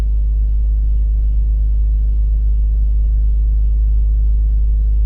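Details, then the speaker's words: 2004 BMW X3 3.0L petrol inline-six after replacing the ignition coil for a cylinder misfire (P0301 cylinder 1 code; misfire moved with coil swap): idles evenly with a steady low rumble, no stumble or skip. "look at that way better it's running really smooth"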